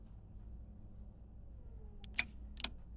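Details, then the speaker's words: Silverton 34C boat Bennett hydraulic trim tabs: pressing starboard retract gives solenoid clicks but no pump motor in a quiet cabin; both solenoids work and pump runs both ways, so owner suspects a faulty rocker switch. "but it doesn't want to retract it doesn't want to turn the pump on when i'm hitting the starboard side to retract i hear the solenoid but i don't hear the pump turning on so i think we have a switch problem here"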